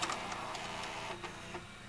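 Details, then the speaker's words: Fisher FVH-4000 VCR, stop pressed after play: a soft whirring motor with light mechanical ticks and clicks as the tape pulls back in. A normal, healthy unload. "now I'm gonna press stop it unloads the tape"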